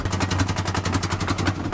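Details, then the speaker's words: 1994 Ford Ranger just started with a gallon of Red Bull added to a tank already holding vodka. Rapid, rough pops and crackles come in uneven bursts as the engine stumbles and nearly dies. It is misfiring; the owner suspects the mixture reached the fuel pump. "Oh, I'm not getting anywhere. It's dying. It's popping. What the hell's going on here?"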